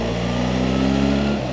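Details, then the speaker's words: 2025 BMW R 1300 GS Adventure ASA cruising on the street: steady mid-pitched whine over the engine rising slightly with speed, less prominent than on the standard GS; normal engine and transmission gear whine. "How does this really feel, this engine and transmission feel on the street? It still has that whine."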